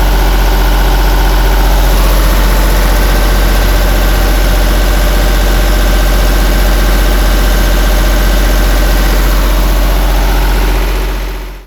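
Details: Miller welder with a German-built diesel engine that wouldn't start after fuel filter replacement, primed by pressurizing the fuel tank to about 5–10 psi: steady, heavy idle with even firing until switched off; normal once primed.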